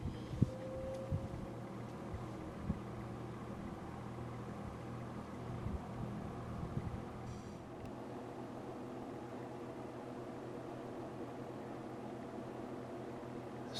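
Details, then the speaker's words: 1948 Westinghouse Mobilaire fan after repair, with a repainted motor and a modified motor housing, running on low speed: a steady, even hum and a smooth rush of air with no rattles or scraping; runs normally. "moves a ton of air on either speed but once again this is the 1948 mobile air back in for repairs completely repaired and ready to go"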